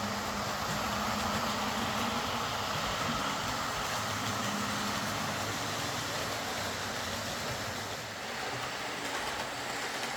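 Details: Old Lima Class 40 model locomotive in BR green, after repair with a completely replaced motorised chassis (original front bogie faulty, wouldn't run): quiet even whir, soft track rumble, no surging or grinding; normal smooth running.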